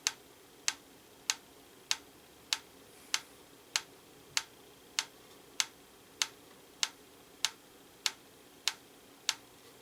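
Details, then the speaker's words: Franz FB-4 electric mechanical metronome, apparently from the 1940s–50s, set to 112 bpm during calibration: crisp even ticks 610 ms apart, about 98 bpm, after adjustment turned the wrong way; running slow, needs about 535 ms. "so that's 610 so so that went the other direction so that was 98"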